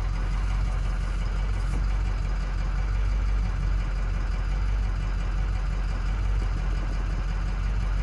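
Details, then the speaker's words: 2007 Ford F-250 6.0 diesel at idle, shaking, uneven stumbling thump; cylinder contribution test shows cylinder 5 misfiring most, cylinder 6 also weak; low compression suspected. "vemos que él el cilindro número 5 el que está fallando más y el 6"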